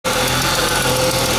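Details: Mustang engine with a quick, light top-end tick over a steady idle; owner suspects lifter tick, and the noise persists after switching to thicker oil and running Sea Foam.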